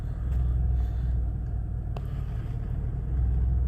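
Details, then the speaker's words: 2004 Ford Explorer, battery light constantly on after PCM swap and three alternators, idling with electrical loads on, voltage swinging 13–16 V: low rumble swelling and sagging, slight misfire felt. Unsteady idle. "Yeah, the RPMs are a bit not steady. But anyhow, this is what it's been doing."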